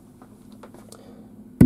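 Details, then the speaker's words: KEF KC62 subwoofer, volume at maximum: quiet hiss, then loud steady low buzz the instant a metal rod touches only the centre pin of an input, like an unshielded cable; 50 Hz mains hum from ungrounded input, gone when ground is connected. "Donc le bruit que vous entendez ressemble à ça manifestement. Et vous le voyez, c'est le cas lorsqu'on a un câble qui n'est pas blindé."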